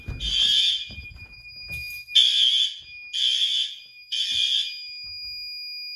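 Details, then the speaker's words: May fire alarm test after activating a heat detector; outside horn strobe checked. Loud, shrill horn blasts just under a second long repeating with short gaps, strong and even; working properly. "It's not showing up well on camera, but that outside horn strobe is good."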